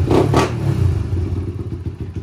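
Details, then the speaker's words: 1991 Honda TRX250X quad barn find after revival: quick revs then even single-cylinder idle pulse with no ticking or knocking, unusually quiet top end; normal running. "oh my she's real smooth now honestly i don't it's been a long time since i've heard of 250x top end that quiet man"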